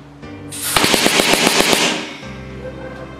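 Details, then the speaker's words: Homemade PVC paintball gun on an air compressor, original working piston fitted: quick even burst of about ten sharp pops at roughly eight or nine a second, then hiss; normal full-auto firing. "isn't that beautiful that is full auto"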